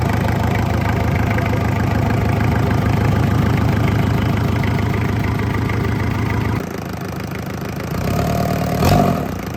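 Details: Isuzu C240 50 hp diesel for a sailboat, bench-run on first start after bleeding air from fuel, dry exhaust fitted; even idle clatter for six seconds then shuts down; steady beat, no odd knocks, healthy.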